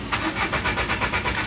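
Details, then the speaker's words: Renault Duster 110, injection relay pulled, no warning lights: starter cranks evenly, about six compression beats a second, but the engine never fires; crank no-start from no fuel with the relay removed. "तो आपको एक starting का भी दिखा देता हूं की start हो रहा है की नहीं हो रहा है क्योंकि मैंने रेलवे ओपन कर रखा है तो इसलिए स्टार्ट नहीं होगा"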